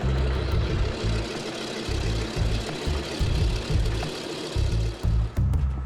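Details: 65-year-old DC-3 radial engine ground run in sub-zero cold after the failed oil cooler was replaced: deep, heavy, uneven lumpy thrum at low speed, loud and steady with no odd knocks and no oil leaks found; normal run.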